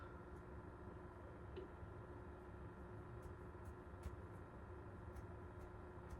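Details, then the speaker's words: 52-inch Hunter Stratford ceiling fan on low speed: steady low hum with faint tonal lines; motor humming, cause not identified. "home, I can hear it humming. Like a wah."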